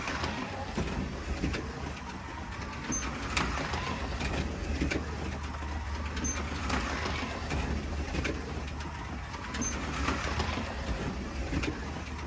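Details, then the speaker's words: Slot car lapping the track: a soft, quiet motor whirr swells and fades about every three seconds, even and smooth, with birds behind; it runs well and quick. "It's so quiet. It runs a treat, and I love it."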